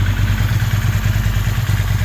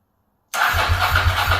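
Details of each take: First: Ducati 916 V-twin at idle after fuel pump quick-connector O-ring replacement and pilot screw adjustment (front suspected slightly out of tune): even lumpy low thump, steady, responds better, not dropping idle; balance still to check with vacuum gauge. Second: Ducati 916 after replacing fuel pump quick-connector O-rings to stop leaks, first start: lumpy, uneven, slightly slow idle on the twin; owner suspects it is slightly out of tune and adjusts pilot screws.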